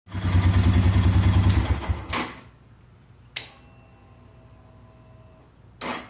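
Starter labours over the engine in slow, heavy pulses for about two seconds before it dies away; sluggish cranking on start.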